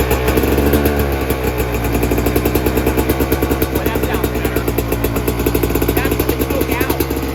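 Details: 2024 Yamaha YZ125 two-stroke, first start after fitting a new FMF short pipe and silencer, JD jetting kit, Castrol full-synthetic oil and new fuel mix to fix fouled-plug jetting problems: crisp, even crackle at steady revs, deep exhaust note, no misfire; runs clean.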